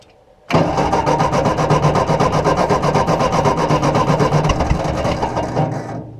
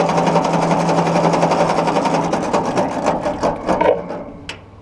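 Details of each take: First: Ford NAA Golden Jubilee tractor (1953 or 1954) parked unused over 20 years: even starter chug about four per second for five seconds, never catching, then winding down; no start because the fuel line was clogged and passing no fuel. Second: Ford Golden Jubilee NAA Red Tiger tractor (1953 or 1954), first crank after sitting over 20 years; oil pressure gauge didn't move: even starter cranking about four beats a second, not firing; normal cranking.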